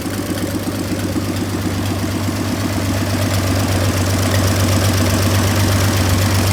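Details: 1926 Oakland four-cylinder started after 75 years with its rebuilt generator hooked up, settling into a steady, even idle with a regular low pulse and no knocks or misses; runs healthy.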